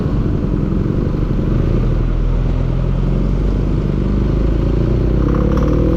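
A heavy, deep engine drone with a rough clattering texture running steadily throughout; there is a knock somewhere in the engine.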